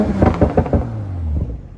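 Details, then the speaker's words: Fully warmed 2020 Toyota Supra, revved: four sharp deep exhaust pops as revs fall, then settles smoothly; normal deceleration crackle, running well with no leaks. "let's give it a couple more revs [Music] man this thing pops so nice listen to this"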